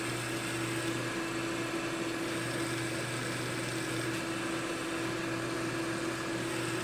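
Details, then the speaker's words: Digital picture frame PC causing a hum heard in the hallway, processor fan running with hard drive unplugged: low steady hum with wavering higher drone as the fan judders on; dry, unlubricated fan bearing, to be oiled. "there it is maybe you can see that's our problem you see how it gets going and due to lack of lubrication it kind of jutters on"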